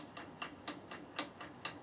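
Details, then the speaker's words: Electric WR250E conversion, chain and chain guide removed, motor run in reverse after front motor mount reinforcement: sharp evenly spaced ticking pulses about four per second as it surges back and forth; suspected cause of apparent chain binding. "it pulses it pulses back and forth that's interesting isn't it"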